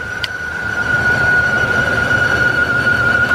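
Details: Dodge 2000 Ram Van B1500 with code P0505 (idle control system malfunction), recorded from the front of the van: a steady high whistle sits over a soft, even idle without wavering, from a vacuum leak.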